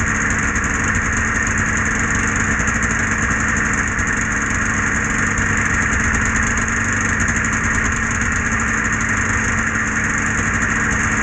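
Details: Polaris Edge 600 XC two-stroke sled after clutch spring replacement, started to check clutch engagement: steady, even idle with a constant buzzy tone and no misses or knocks; engine settles and holds speed.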